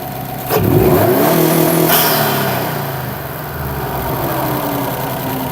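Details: 2008–2014 Subaru WRX after a Cobb intake install (post-MAF, no tune), recorded from inside: the engine catches cleanly, blips up and settles to a steady, even idle with no knocks or misses; healthy.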